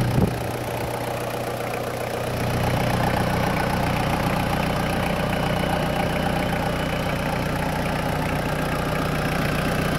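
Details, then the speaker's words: 2000 Toyota Land Cruiser Colorado VX J95, 1KZ-TE turbo diesel, under the bonnet with the oil cap off showing some blowback: after a brief throttle change it settles into a steady, even clatter with a low hum; a healthy idle with no smoke. "here we go we're in like an oily sewing machine blowback [Applause]"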